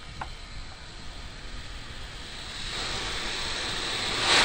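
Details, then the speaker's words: 1963–68 Ford F250 engine, compressed air fed into cylinder 10 with rubber stopper in the spark plug hole: air hiss builds then the stopper pops out, showing the valves are closed and the cylinder holds pressure before head work. "that's exactly what I'm looking for is that when you turn the air back on the valves are closed the cylinder pressurizes up and pop that little cork out"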